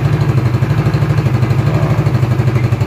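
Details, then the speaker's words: Fuel-injected motorcycle with a newly fitted battery starts at once and idles with a strong, steady, even low putter about three beats a second. "Oke kita coba menyalakan mesinnya oke langsung bunyi ya"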